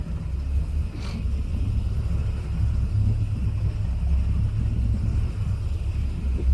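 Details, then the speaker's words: Boat on the water, cruising a first lap after fitting the missing upper exhaust bellow and replacing the bad gimbal bearing and u-joints: a deep, even engine rumble with no knocks or misses; so smooth and quiet. "we on the water boat's running um i made one little lap so far this thing is so smooth so quiet"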